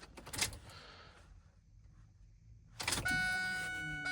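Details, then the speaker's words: Ford 7.3L diesel after fuel filter change: key cycled on to prime the fuel system and purge air, a steady electric hum with thin whine starts, holds, then shuts off; fuel pump priming normally. "I can hear the fuel pump turning on. All right, it turned off."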